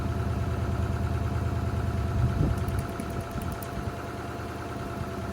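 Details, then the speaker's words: Honda Accord, lumpy idle with uneven chug and regular skipping beat; pulling plug wires one by one confirms one dead cylinder. "I do believe we have a dead cylinder. I could be completely wrong, but I think we do."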